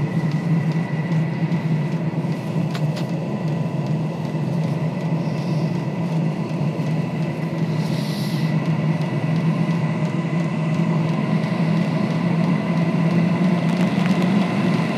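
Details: Diesel heater on the bench that wouldn't light (white smoke), run on a test fuel pump and controller at maximum, pump at 4 Hz: smooth, even low hum with steady fan rush, no sputtering or surging; running normally.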